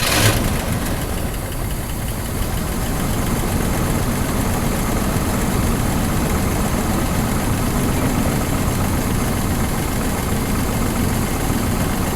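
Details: 1982 Chevy C10 Custom Deluxe engine, sitting 15 years, started on gas from an old can: low, uneven idle with a loose, stumbling beat that never settles; owner suspects a clogged carburetor slow jet.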